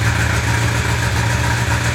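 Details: 1995 Honda CB750 Nighthawk: uneven, lumpy four-cylinder note with a missing beat, cylinder #4 dead from a clogged carburetor jet; single-cylinder misfire.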